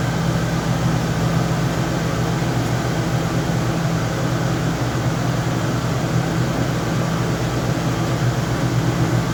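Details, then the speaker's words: Lincoln Town Car after rear air-suspension airbag install, battery reconnected: steady even low hum of the front-mounted air-ride compressor, no surges or rattles, pumping the rear up normally. "Okay, so the compressor just turned on. I can hear it humming up front. It may take a second for this to air up."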